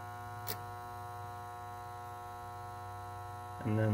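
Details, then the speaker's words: Oil-fired water heater burner, no hot water, plenty of oil, control blinking green; after reset a steady low electrical hum with brief clicks and no ignition; owner suspects hum comes from the transformer. "so I will reset the burner can you hear that humming [Music] I'm pretty sure it's coming from the transformer"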